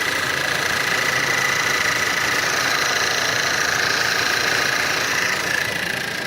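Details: 2012 Combi 1.8 TSI on cold start: steady knock of roughly three beats a second over the cold idle; source not identified.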